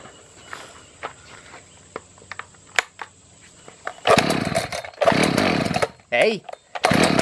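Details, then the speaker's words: Echo CS-590 chainsaw that won't start, choke on, compression present, premix poured into carburetor: handling clicks then several brief roaring bursts cutting out abruptly; fires on prime but starves for fuel, bad carburetor suspected. "I think we got a fuel problem. Let me try adjusting the carburetor and see."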